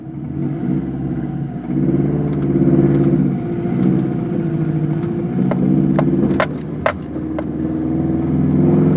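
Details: 2006 Subaru WRX, burning much oil and possibly once run low on oil: loud irregular tapping around 1500 rpm under light load, gone above 2000 rpm; owner suspects rod knock, not confirmed.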